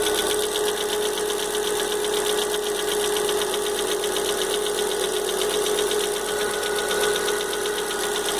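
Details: Fox idling with engine noise the owner can't identify. A light, loose tapping of about four per second rides on the engine note. Knocking noise, cause unclear.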